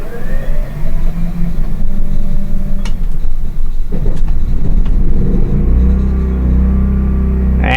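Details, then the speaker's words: Harbor Freight 9500 W generator replacing a worn-out 2003 RV generator, started from inside after about 3 hours of prior running on both air conditioners: catches and settles into a steady, even low drone, no misses or surging. "she's running we're good everything's good it's running"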